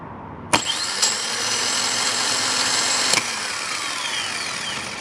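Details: Subaru Forester automatic-transmission starter bench-tested off the car on battery power: sharp clack, then fast, steady high whir for about 2.5 seconds winding down smoothly; starter spins freely and is sound.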